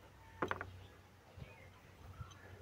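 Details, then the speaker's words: Suzuki Grand Vitara A/C compressor pulley spun by hand without turning the pump: rough dry clicks, then single catches as it slows, like a stone caught inside, confirming a failed pulley bearing. "Parang may sumasabit siya na bato. Yan. Ayun. Ngayon confirm sira yung bearing."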